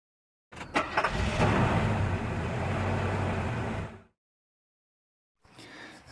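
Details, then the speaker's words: Renault 1.5 engine knocking with a steady, dull knock about four times a second; endoscope shows a whitish piston crown with bare aluminium, meaning the piston is striking the cylinder head. "стучит двигатель стук очень похожи как будто поршень долетает до головки цилиндров"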